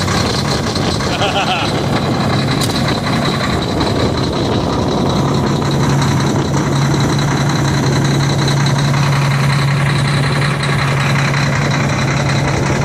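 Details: Diesel truck, cold start at about 2 degrees: steady, even diesel rumble with no knocks or misses settling into idle; normal cold idle.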